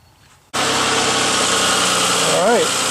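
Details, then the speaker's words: 1998 Honda Passport/Isuzu Rodeo engine restarted with the serpentine belt removed: it settles into a steady, quiet idle with no whine. That isolates the whining noise to a wobbly idler pulley with suspected bad bearings, which is to be replaced. "got it fired back up again without the eye but without the serpentine belt it's just the motor running so it's pretty quiet now"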